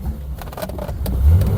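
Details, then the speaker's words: 1972 Triumph 2000 Mk2 2.0L inline-six, barn find unrun for about 20 years, warm: engine note sags and stumbles, nearly stalling when the choke is pushed in, running only on choke; owner blames the carburetor. "You hear it's dying completely now. Temperature is up, so carburetor, definitely carburetor, because I'm on full throttle."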